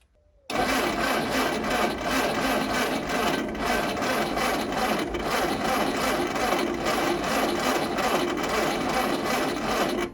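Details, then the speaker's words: Carburetor cleaned, jets cleared and washed, vacuum line left off: a dense, rapid churning whirr runs steadily for ten seconds without firing. The owner suspects the starter, a discharged battery, or possibly the engine itself; not confirmed. "Karburatorče sam očistio, pročistio sam dizne, oprao sam ga i ne reaguje, kao što vidite."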